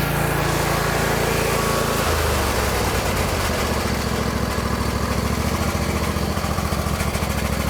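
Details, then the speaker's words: John Deere L120 lawn tractor, Briggs V-twin, sat about a year: engine drops from higher speed to a steady, even putter with no surging or hunting; runs normally. "guys it'll probably start to run even a little better as it gets used because it's been sitting for a while"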